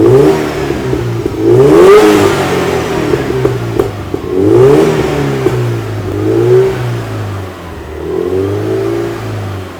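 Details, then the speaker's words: 2006 Subaru WRX STI turbo during upper engine cleaner treatment, vacuum line off: repeated smooth rev-ups and falls every few seconds, no pops, misses or knock; engine fine, no detonation, minimal exhaust smoke. "I'm just going to be giving it some revs, and the smoke will be going out, and essentially you want to keep revving until the white smoke is done."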